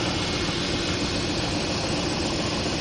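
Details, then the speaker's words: 2001 Dodge Durango 4.7L started after replacing the upper radiator hose and cap housing and topping off the coolant: a steady, even idle hum with constant fan whoosh and no knocks or misses, so the engine sounds healthy. "let's start it up and see what happens sounds like a champ all right"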